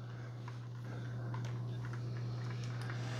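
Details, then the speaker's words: Mr. Coffee 5-cup Mini Brew Switch coffee maker (model BVMC-SC05BL2-1/2129512, 120 V) just switched on, starting to brew almost right away: a quiet steady hum with faint soft ticking and bubbling as it boils the water, a normal brew start. "Okay, so it starts brewing almost right away. I can hear it kind of boiling the water."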